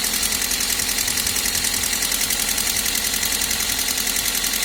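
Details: Toyota 1ZZ engine at idle: fast, even, light ticking at about three and a half per second; valve clatter is suspected, not confirmed.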